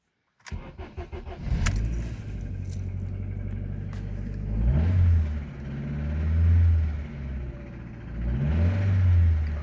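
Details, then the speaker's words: Car after new ignition coil fitted and bad connector found on misfiring cylinder; still has a bent valve on another cylinder; cranks, catches quickly and runs steady with smooth revs and no stumble; sounds better. "sounds better."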